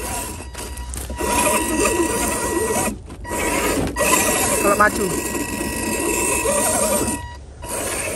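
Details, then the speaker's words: FS Racing Freemen RC crawler, stock with metal gearbox, climbing a slope: irregular ratcheting clicks over the motor whine, uneven with load, a strange noise possibly gears skipping in the drivetrain, cause unclear. "दोस्तों, एक अजीब सी आवाज आ रही है, दोस्तों, फ्रीमैन की"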